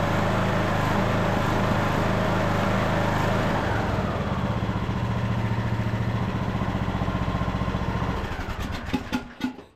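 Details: Craftsman LT2000 riding mower, air box and air filter off, on fresh gas: at high speed the pitch sags and recovers unevenly. This is a surge the owner thinks the air box and filter may help.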